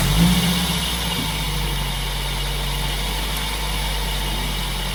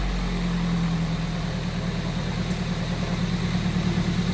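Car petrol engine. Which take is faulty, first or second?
first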